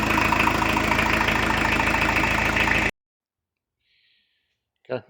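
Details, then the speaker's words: 1986 VW T25, 1.6 JX diesel, after an 8-year rest: even, steady idle clatter at about four beats a second with no knocks, then shut off, blowing a bit of soot with no oil. Healthy. "so blowing a bit of soot out, but all good. There's no oil in there. It's well, very healthy considering it's had an 8-year rest."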